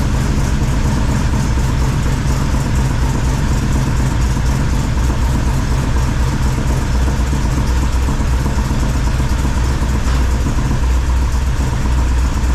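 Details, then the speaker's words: 1978 Chevrolet squarebody V8 with full roller rockers, first start after fitting 3-inch exhaust and Flow Monster mufflers: deep steady idle, even rumbling exhaust note, no misses; slight normal valve-train noise from the roller rockers. "uh yeah seems to be running fine if you noticed when I walked around front there's a little valve train noise"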